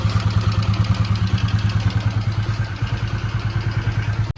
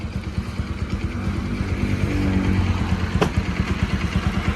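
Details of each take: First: Bajaj Pulsar NS200 BS3, customer complaint of heavy engine noise, told elsewhere it needs an engine rebuild; single-cylinder idle with a steady pulse near three beats a second plus added clatter; engine louder than normal, cause undetermined. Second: Bajaj NS200 BS3 single, after repair for engine-noise complaint: timing chain tensioner replaced and tappets adjusted. Steady, even idle with a smooth regular beat, no ticking or chain rattle; healthy.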